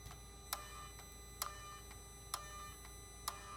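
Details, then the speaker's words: 2008 Mercedes R320 3.0L with intermittent power loss and boost pressure codes, turbo actuator commanded via scan tool: sharp metallic clicks about once a second; turbo actuator sticking and judged bad. "so this actuary is sticking guys it shouldn't be making this noise yeah this is the problem the fact that it's making that you see now it just went back so the fact that it's making that clicking sound that tells me that this actuator is bad"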